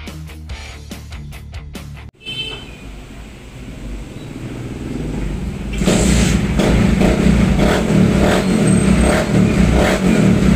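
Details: Raider J110 motorcycle single that would not start (new battery and spark plug) now runs normally after two broken wires were repaired and rectifier wiring restored to stock with a new terminal: a few clicks, fires, steady idle, clean revs, no misses.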